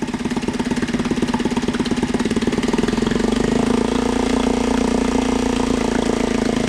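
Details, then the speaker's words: Mariner 3.5 HP four-stroke outboard after maintenance (oil, gear lube, spark plug, water pump impeller), run in neutral on a homemade stand in a bucket of water; quick, even single-cylinder putter at steady idle; normal idle. ", it's ready for the session, okay, working perfectly, see?"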